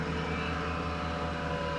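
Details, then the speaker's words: 1995 Mercedes E320 Cabriolet (W124) that sat 19 years, first start after a fresh oil and filter change: engine catches and runs cleanly with a steady, even note and smooth low throb, no knocks or misses. "Now she's looking good."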